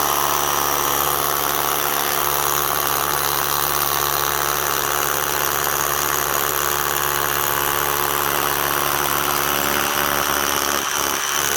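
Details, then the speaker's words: DeWalt DCH333 54V/60V SDS rotary hammer drill runs with a dense buzzing hammer action that turns uneven and rattly; chuck slips when pulling the bit out of the hole. "clutch doesn't slip once you start going to pull the drill B out of the hole pulling it out the Chuck is then slipping fine pushing in slip's coming out"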